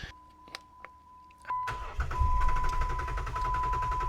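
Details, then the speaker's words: Jeep Wrangler crank no start: starter turns the engine over about four beats a second on a jump pack but never catches; fuses, relays and power to pump good, no fuel at the rail, so the fuel pump has failed. "The pump is getting power. We're not getting any fuel. That means it's the fuel pump."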